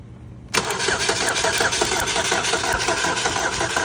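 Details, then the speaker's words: 2012 Buick Regal 2.0L turbo, crank no start, cylinder one about 100 PSI low on compression, oil overfilled: rapid uneven clatter of sharp clicks throughout cranking, still loud with coil packs unplugged so not arcing; source suspected in the timing area, undetermined. "the clock is still loud with the coil packs unplugged so it's not like an arc or anything"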